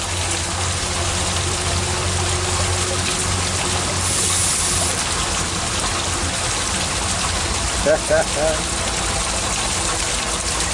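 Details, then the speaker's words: Sump pump discharge into a gravity transfer tank: constant rushing water with brief gurgling slurps as air is sucked into the drain pipe. "there's sucking air out of there you can hear it"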